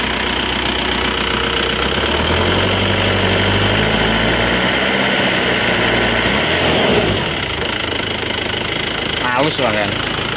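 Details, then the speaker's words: Isuzu Panther diesel after rebuild for blow-by caused by coolant loss, with cast liners and old pistons: idles evenly and picks up cleanly on throttle blips, no knock or misfire; runs smooth, no smoke, oil filler breathing fine. "Lur, untuk suara mesinnya seperti ini menggunakan liner cor dan sefer lama itu kita gas-gas ya. Lihat dengar suaranya. Halus ya suaranya."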